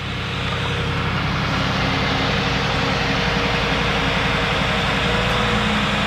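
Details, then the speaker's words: 1997 Lincoln Mark VIII 4.6L DOHC V8 with 84,499 miles has a smooth, even idle with a steady low hum and no ticks or knocks; running well; oil clean with no milkshake under the cap. "there's though running well"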